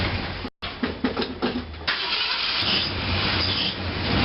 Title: 1966 Mercury Park Lane 390 Grumpy cold start no choke exhaust leak